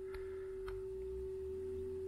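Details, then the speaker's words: 1975 Nakamichi 600 cassette deck after service (new drive belt, cleaning, head demagnetising, alignment) playing a 400 Hz sine wave; steady pure tone with only a slight, hardly audible waver: normal tape playback speed. "variation there not a lot that was a trigger sequence issue by the way that flick there's just a lit orbit of variation but it's hardly audible"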